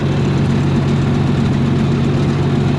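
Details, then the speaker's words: 292 Chevy inline six gasoline engine on a 703 UniSystem power unit, after correcting badly wrong ignition timing (was firing out the intake) and adding fresh gas: steady low rumble, even beat about four a second, no misses or knocks; idles smoothly. "And, well, something probably wasn't timed properly, but now it runs great. A little bit of fresh gas helps."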